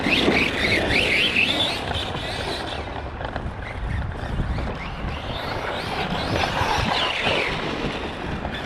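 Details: Kraton 4S RC car driven hard during hot laps (2176 laps, 29.83 miles on track): a high, wavering squeal rises and falls under load. Owner suspects a bad bearing or gear in the drivetrain and is considering a teardown.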